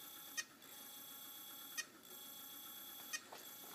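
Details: Hard drive being revived after its platters seized and were hand-turned back: faint whirr with a short high chirp about every 1.5 seconds as it stalls on spin-up; possibly worn out.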